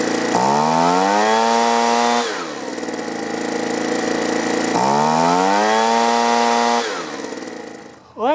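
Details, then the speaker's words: Two-stroke leaf blower, low-speed screw turned out about half a turn: revs up twice and drops back unevenly, not settling; adjustment screws not responding, so carburetor to be removed and cleaned. "just not running quite right the adjustment screws aren't doing exactly what they're supposed to so i'm going to pull the carburetor off quick just give it a quick cleaning"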